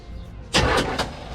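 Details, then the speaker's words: Chevelle sat in a barn 15+ years, last ran and caught fire: short, strong starter crank before coil hooked up, no dragging or clicking; starter and battery sound healthy. Normal cranking. "Oh, that sounds good. That sounds really good."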